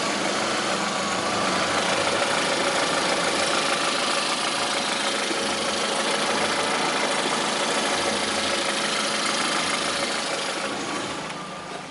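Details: 2009 Lada Priora, 37,000 km, at steady idle: light, fairly even tapping about three times a second over the engine hum, a knock inside the engine that began 500 km after adding Suprotec; owner suspects the additive, cause unconfirmed.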